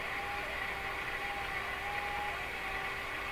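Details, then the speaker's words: Northern Electric Model 5200 Baby Champ radio, after alignment and replacing all paper capacitors, tuned near 1380: hissy static with faint thin whistles drifting near one kilohertz; heterodyne tones, with performance not noticeably improved. "You notice those heterodyne tones in there too. It's kind of, I've always kind of wondered about. They show up in a lot of radios, and I've never quite understood where these heterodyne tones come from."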